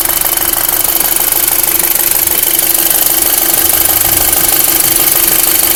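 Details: 2005 VW MK5 GTI 2.0 TFSI at idle: sharp metallic ticking about three per second over a thin idle; strange engine noise, source not identified.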